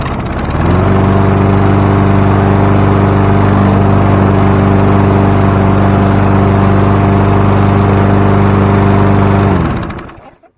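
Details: Free roadside self-propelled push mower found with water in the oil, restarted easily: steady, even single-cylinder drone for nine seconds, no stumbling, surging or smoke, then a clean shutdown; runs normally.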